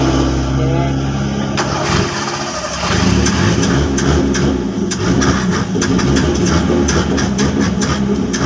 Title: Hard starting engine